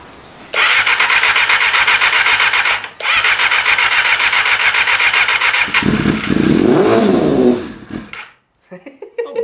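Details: 1988 Kawasaki ZXR250 on first start attempts, spark just confirmed after a cough; fast, rough starter cranking with sharp loud bursts spitting from the exhaust as raw fuel from flooding lights off in the pipe; backfire.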